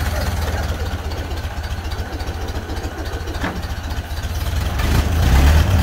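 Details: 1931 Ford Model A, flathead four, 200.5 cu in, about 4.5:1 compression, first start after roughly 65 years off the road; low, even putter around three to four beats a second, no misses or knocks; healthy, smooth low idle.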